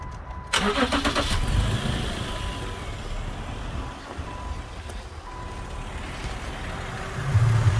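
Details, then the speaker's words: 2010 Subaru Outback 3.6R Limited flat-six (H6), trade-in with no codes: a quick crank and catch, then a low, steady, tractor-like idle that settles evenly with no knocking or misfire. Normal cold start and idle. "i just call it weird it sounds like a tractor when it starts up kind of reminds me of the old volvo five cylinders"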